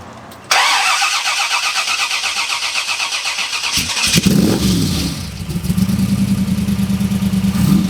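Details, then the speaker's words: AC Cobra kit car, all-aluminum side-oiler 427 FE V8 with dual 600 Holley carburetors: cranks, catches, then lumpy loping idle like six cylinders; front carburetor flooding and loading up rich at idle, fogging after shutdown. "yeah it's like it's idling on like six cylinders yeah and then when you you give it the suds then you can hear a leak come up"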